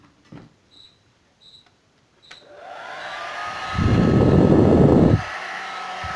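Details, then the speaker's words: Suzuka hair dryer that would not turn on, after freeing its stuck power switch: switch clicks, fan whooshes up, roars louder on high, drops back; now working normally. "Bueno gente, ahí está resuelto el problema, solucionado el problemita que tenía, hemos solucionado, así que ahora vamos a ensamblarla de vuelta."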